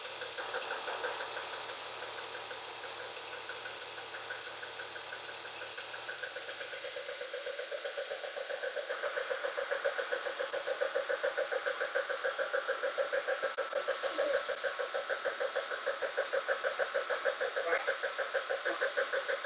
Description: E36 M52 knocking sound